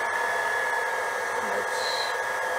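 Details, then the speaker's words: JoJo 1.5 kW variable speed drive booster pump (cast-iron pump end) throttled to very low flow, drawing about 400 W: soft steady motor hum, constant high tone, no surging or rattle; running normally. "ht down to a very low flow and there we can hear it Throttle Down Throttle Down the knot here we are putting at about 400 watts so for the for the very low flow we we're definitely seeing a reduced power consumption"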